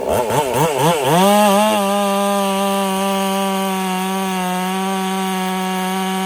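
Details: Ported Husqvarna 385 chainsaw during break-in, tune left slightly rich with a little top-end burble, full throttle in very hard oak: revs snap up, then a clean high steady scream without bogging; smooth, normal full-throttle cutting.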